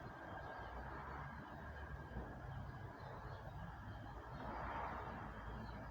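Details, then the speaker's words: Coal-fired Quarry Hunslet model steam loco with the smokebox door accidentally left open: heavy blower use on the cold chimney made wet gurgling and spluttering at the outlet from condensation and oil. "all the blower on the cold chimney caused a lot of condensation and oil at the outlet making for some strange noises you can hear them in the video"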